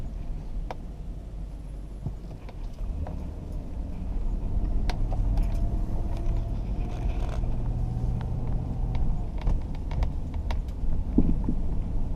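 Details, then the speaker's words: 2004 Jeep Grand Cherokee driven slowly over light bumps, sharp irregular rattles and clunks from the driver's-side front as the suspension unloads; worn upper front shock bushings suspected, later replaced with Energy Suspension bushings. "So it's a rattle when load's coming off. You hit a bump, you'll hear it rattle when the load's coming off of it, because when it's being compressed, it's pushed up tight on the bottom bushing, but when it comes down, hopefully that clunk is picking up in there."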